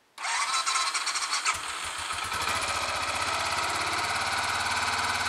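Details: Royal Enfield Electra X after starter sprag clutch replacement, started with the decompressor pulled first: the starter spins cleanly and the engine catches within a second into a steady single-cylinder idle, with no starter clatter or slipping; normal electric start.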